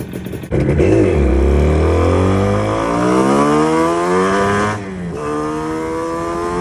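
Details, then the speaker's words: 46-year-old Yamaha RD250 two-stroke with intermittent ignition and charging faults, after new regulator/rectifier and lead-acid battery fitted: revs rise with a flat drone lacking crispness. Cause suspected, not confirmed. "I took the bike out for a little run you could probably hear that it sounded quite flat and by the time we got up to the top of the hill we were down to one cylinder again"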